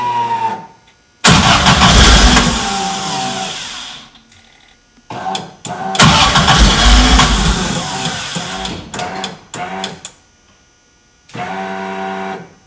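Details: VW Bus with swapped Subaru EJ25 flat-four, after crank sprocket and pulley replacement, spark confirmed on all four and fuel relay reinstalled: starter cranks briefly, engine catches and rumbles unevenly, stumbles and restarts; first start and idle.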